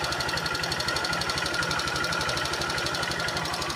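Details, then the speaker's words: Honda Fan 125 (2014) motorcycle idling with a steady metallic knock over the exhaust beat; still noisy and overheating quickly after near-complete cylinder replacement; mechanic found a clogged passage not sending oil to one side of the engine. "Ela continua esquentando aqui rápido. Ele abriu aqui, limpou. Troquei o cilindro praticamente completo e ela ainda continua com esse barulho."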